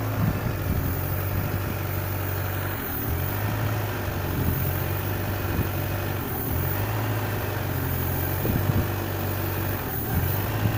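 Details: Peugeot 307cc 1.6 16v 80kW petrol engine with a rough idle, its hum dipping and recovering every few seconds. It runs fine with the throttle body disconnected; a new original throttle didn't help.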